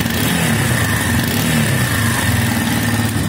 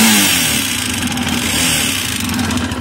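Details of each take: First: Minsk X250 single-cylinder after fitting a used cylinder with its original piston and rings from 18,000 km, replacing new parts that knocked loudly. It now idles evenly and revs cleanly with no tapping or extraneous noise. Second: Minsk X250 enduro single with a used X250 cylinder and a new aftermarket piston, rings and pin: quiet at idle, but a distinct metallic tapping from the top end under throttle; owner suspects the Chinese piston parts.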